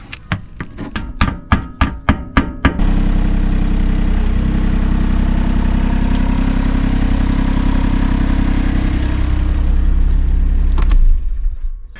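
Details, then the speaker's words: 2008 Smart Fortwo 451 Passion 84 bhp, with the belt driving only the failed air-con compressor (burnt-out clutch that had howled with engine speed) removed: brief cranking, then steady, smooth, even idle with no squeal or knock. "hot but as you will see now when I start it up without that compressor turning it's going to be a whole different sound sound"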